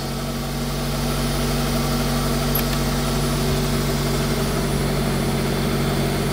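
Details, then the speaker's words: Smart Fortwo 450 Cabriolet idle with air conditioning running: steady, even idle with compressor hum, no knocks or misses; revs rise on the cooler setting to combat the load, then drop once warmed enough. "yeah so that proves it as well you can hear the revs change so you got one setting for a bit cool and then if you want really cool and you can hear it after to fuel up to combat that and then the revs drop cuz she's just warmed enough"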